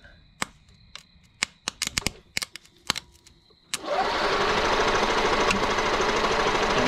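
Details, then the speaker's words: 1992 EZ-GO golf cart, 2-cylinder Robin engine that sat 16 years outdoors, first crank test on a possibly weak battery: a few clicks, then fast, even cranking that spins strongly but never catches, with no spark yet; cranks but won't start. "sweet spins over good not getting any spark but I didn't think we would"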